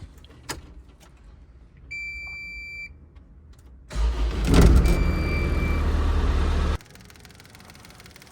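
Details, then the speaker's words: CAT 304 / CAT 259D diesel after full service with new fuel filters: starter cranks, engine catches about three seconds then cuts out abruptly; air in the fuel line starving it, fixed by priming and bleeding. "at first it was firing up and dying it just wasn't getting fuel and there's air in the line"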